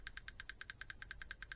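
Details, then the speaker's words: Kyosho Inferno bevel diff gears turned by hand with a wide pinion-to-crown gap: sharp, even clicks about nine a second, louder than with tighter shimming. Excessive backlash is making the gears hammer. "the hammer's louder because that's wider."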